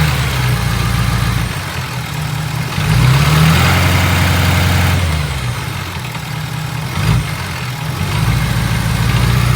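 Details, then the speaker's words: 2017 Ford F250 6.7 Powerstroke diesel V8, warmed up at idle: loose, uneven rattle over deep rumble, cause unknown; injectors tested firing fine, heads off and scoped, mechanics say it doesn't sound right. "Truck's warmed up. Got this rattle noise that I cannot figure it out."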